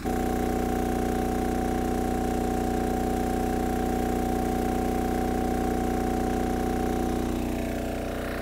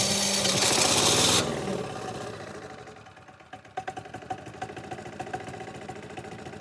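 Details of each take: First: MEP-531A/501A military diesel generator after fuel priming, contactor closed to apply load: steady, even drone that deepens slightly as load comes on, with little or no stutter; carries the load cleanly. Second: MEP-531A/501A military diesel generator after fuel system priming, frequency up to 62-63 Hz: cranking gives way to an uneven, stuttering run with irregular puffs and knocks; air still clearing from the injection lines.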